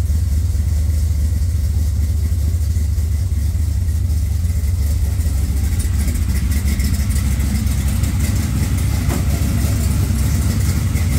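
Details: Engine started right after a dead battery (cause unknown, owner checked trans brake and line lock clicking): low, steady idle rumble with no misses or knocks; healthy idle.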